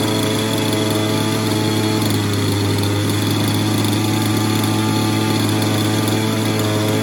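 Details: Falcon buggy small two-stroke, first start attempt on choke after fuel check: high, fairly steady buzzing with no misfires or dropouts, firing and running on its own. Normal running.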